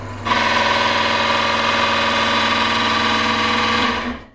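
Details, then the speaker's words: Wood lathe combined from two broken units, single-phase motor with belt drive to spindle, first test run; steady hum with harsh rasping rub as the belt pulley scrapes screw heads on the shaft. "On kauhea ääni. Tää ei totisesti oo kovin kummonen vehje."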